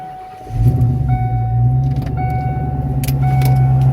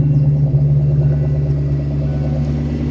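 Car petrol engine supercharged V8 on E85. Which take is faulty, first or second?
second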